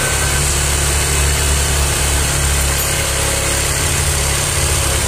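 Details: Yamaha Aerox scooter idling after service for a noise complaint: steady, even low hum with no knocks, rattles or ticking; smooth, healthy idle.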